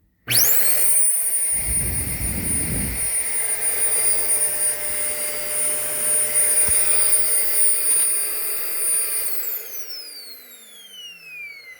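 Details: Shark Rotator vacuum after repair of motor air valve that had caused weak suction and air blowing out a side hole: high, steady motor whine spins up, holds even, winds down; normal running.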